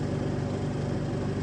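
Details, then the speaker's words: Car with new battery and new starter, voltage drop problem: starter turns engine over in a slow, laboured, even rhythm with no catch, sounding like a flat battery; fix planned with 12 V relay on starter. "still sounds like a flat B hopefully I hopefully you guys could hear it on the video"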